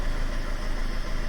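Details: Red Pop idling after parts were swapped and the battery reconnected: low, uneven, lumpy tickover persists unchanged; cause not found, fuel rail suspected as the only part not yet changed.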